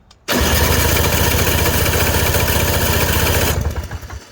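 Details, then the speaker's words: Toro CCR 3650 two-stroke snowblower after new primer bulb fitted, fuel added, electric start before priming: starter spins engine at steady chug, about four beats a second, for three seconds without catching; cranking without starting, not primed. "see I didn't prime it yet"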